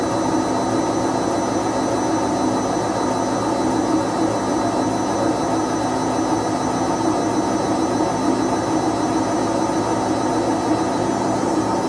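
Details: Whirlpool/Vestel washer with bad drum bearings after exactly one year, still running: a loud, steady jet-like roar at high spin that keeps getting louder, typical of worn drum bearings.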